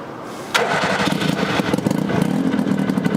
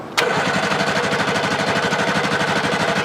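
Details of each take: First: Abandoned Hustler 6x6 amphibious ATV, carburetor fed fuel from a car, may need primer: engine spins over with uneven chugging for several seconds, revved high but never catches; cranks, no start, cause unconfirmed. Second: Abandoned Hustler 6x6 amphibious ATV after carburetor work, running on fuel fed from a car: engine catches instantly and holds a steady, even chug of about three beats a second with no misses; normal start and idle.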